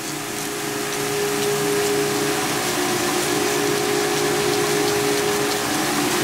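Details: JRI MCCS-MINI-3000 mini conveyor parts washer running at very low pressure, around 5 psi, through V-jet nozzles; steady hiss of water spraying over an even pump hum with a faint tone near 400 Hz: normal spray wash operation.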